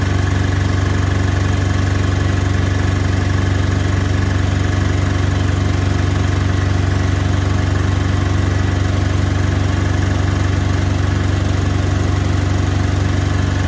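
Heavy steady rumble with a regular thump about twice a second through the spin; the drum is running out of balance.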